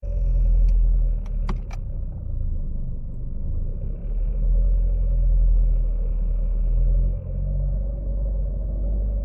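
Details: Chevrolet Aveo T300: steady low drone with a faint mid-pitched hum over it at around 1500 rpm, moderate revs; cause of the humming unknown.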